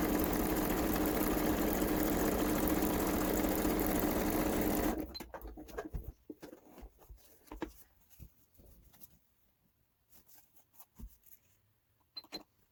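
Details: Kenmore 385-19550 sewing machine being tested after repair of wrong pattern stitches and speed control, speed adjustment screw centred: even, steady needle clatter about three stitches a second, no knocking or grinding, then stops; healthy.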